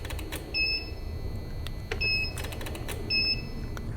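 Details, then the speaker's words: 2010 Chrysler Sebring Touring with a weak battery on a jump starter: short high-pitched warning beeps about every 1.5 seconds with no cranking. The cause is not confirmed. "Oh, it doesn't want to start the"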